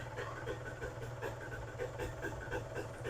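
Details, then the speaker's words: Suzuki LT80 80cc two-stroke petrol quad, just started and still cold: weak uneven idle with irregular faint pops, stumbling as if about to stall then dies; rough idle, cause unconfirmed. "you know it's weird it sounds like it's about to die but it has it's died oh"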